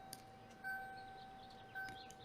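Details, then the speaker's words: 1980s Ford warning chime module (Motorcraft E6AB-10D840-A2A) from a 1988 Ford Ranger, bench tested: two soft dings about a second apart over a faint tone, much quieter than it should be; possibly age-related. "as you guys can see this box functions quietly"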